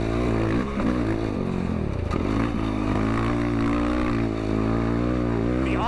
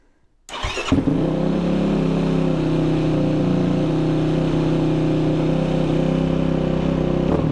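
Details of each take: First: Yamaha ATV single with freshly flashed stock ECU tune, open airbox, FCI intake and full exhaust, running rich: even, steady drone at steady throttle under light load, no misses or pops; normal steady running. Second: Yamaha ATV in neutral right after an ECU flash tune and an idle-screw adjustment: it starts and holds a fast, steady idle with no dip. The idle is set too high and needs turning back down.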